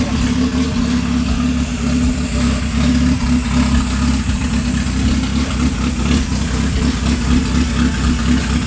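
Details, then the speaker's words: Honda Accord CD7 after engine swap, first start-up: deep, steady, even idle over a low rumble with a heavy sucking rush of air; runs normally but intake noise is very loud, said to sound like a V8. "Oh, that thing is sucking in air crazy. Stop that. That thing is sucking in air crazy."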